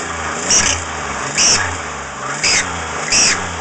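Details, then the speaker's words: 2001 Chevy Impala 3.4L: sharp high-pitched screech rising with each rev blip, persists with the belt removed, car lacks power when it happens while driving; source undetermined. "okay so this is my1 impella it's got some kind of a problem starts fine that's a 3.4 l um you notice when I rev it up it makes a screeching"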